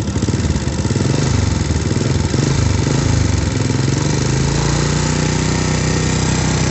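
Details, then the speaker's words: Honda Supra motorcycle at idle: loud regular clatter (kletek-kletek) each turn plus lighter ticks from the top end; roughly 30% attributed to the cam chain, rest from other sources; valves found slightly loose, cam chain being replaced. "Perhatikan suaranya, guys. Ada bunyi kletek-kletek secara teratur dan sedikit bunyi kecil-kecil ya, tapi yang besar banget itu bunyi kletek-kleteknya."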